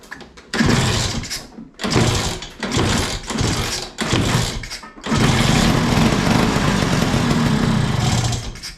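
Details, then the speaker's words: LML/Vespa hybrid two-stroke scooter, first start, kick-started after fuel and easy start: several throttle blips then steady even two-stroke buzz, no misfire or knock; running normally. "Sounds alright actually."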